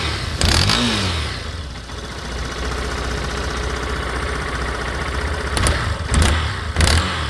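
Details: Yamaha Fazer 250 motorcycle engine revved in short blips with sharp snapping cracks, like it's about to burst; louder on cold start and when accelerating; owner doesn't know the cause.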